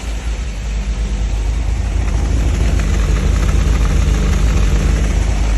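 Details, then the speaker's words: 1969 MGB, engine warming a few minutes, temperature just rising; loud low uneven hunting idle with no clean rhythm; runs rough; carbs and valves need adjusting, owner suspects a vacuum leak. "carbs have really got to be adjusted it runs rough and I'm like I said I'm I'm pretty sure I have a some kind of a vacuum leak but I got to get those vales adjust"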